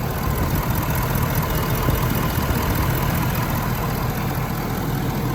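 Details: 2017 Ford F-250 6.7L diesel just restarted after fuel filter replacement; deep steady diesel clatter at idle, even rhythm, no misses or knocks, normal idle.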